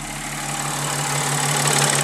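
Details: 2010 Audi S4 after new coils, spark plugs and valve cover gaskets, Seafoam added in each cylinder causing smoke, cold start: even, steady idle with low hum and airy hiss, no stumble or miss; misfire fixed.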